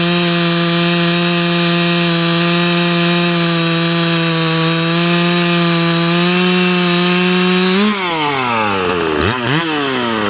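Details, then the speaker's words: Hypo 660 build chainsaw with added third muffler port and stock chain, cutting a roughly 18-inch dry log with knots: strong steady high buzz holding pitch through the cut, dropping cleanly as the bar exits; pulls well. "she's spinning up pretty good you see all the uh knots that cut through us that second that up cut was a straight knot cut"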